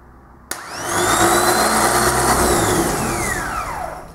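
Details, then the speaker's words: Rebuilt Bosch 230/231-series 12 V truck starter bench-run on a 12 V battery with jump leads: sharp strong solenoid click, then a high whirring spin that climbs fast, holds steady and winds down; normal, healthy free spin. "you will find the starter spin very fast that's 12v stter now we will look at the difference in the 24v one"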